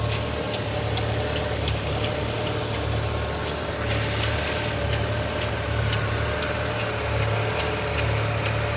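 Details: Opel/Vauxhall Z20NET engine idling with sharp light ticks roughly every third of a second, slightly uneven, over a low hum; traced to the secondary timing chain tensioner; chains, guides and tensioners need replacing.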